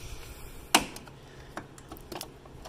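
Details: Honda Civic: sharp dry clicks as the car body is pushed down, from a loose nut at the strut top; rattle over potholes persisted after outer tie rod, lower ball joint and sway bar link replacement.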